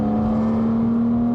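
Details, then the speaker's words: Porsche Boxster S 987, 3.2-litre engine with sports exhaust, about 16 years old and over 120,000 miles, accelerating at full throttle: strong steady climbing tone, smooth and clean with no misses or rattles; still pulls hard, normal acceleration. "it still pulls like an absolute train this thing feels like it would just keep going and going"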